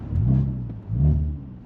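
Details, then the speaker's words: Audi S4 after an X-pipe resonator delete meant to cure exhaust rasp, heard inside the cabin: a deep, heavy boom swells with each pull and fades between them; the rasp is gone but more drone has been introduced. "but I think we've introduced more drone to what they were before personally which sucks cuz drone is disgusting"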